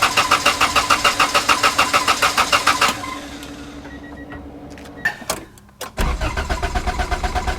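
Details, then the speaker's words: $300 tow-yard Honda Integra (DA) with JDM engine swap, first start attempt on jumper battery: strong, even cranking about three and a half turns a second never catches, then stops with only clicks. Cranks but won't start; battery and crank good. "Ooh, good battery, crank's good. Maybe I'll check the oil first."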